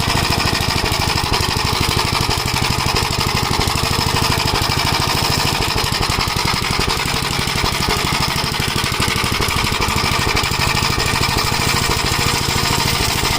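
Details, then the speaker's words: 1956 Gravely Model L single-cylinder, governor removed, after full-throttle running: rapid uneven chatter with faint pops and smoke, misfiring; owner suspects the spark plug fouling with oil, possibly a broken ring; carburetor and points fine, cause unconfirmed. "But you get you can hear that it's popping like the uh spark plug is getting fouled with oil."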